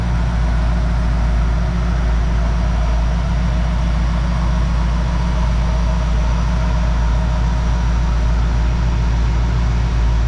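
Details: 1969 Plymouth Fury III V8 idling in the shop after fuel-system changes advised by Holley tech support: deep, steady low rumble with even beat, no misses or knocks, running smoothly.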